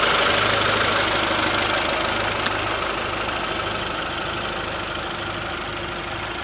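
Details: 1992 Honda Prelude Si at idle, steady even petrol patter with no belt whir or squeal; intermittent accessory-belt whirring heard only while driving is absent here; normal idle.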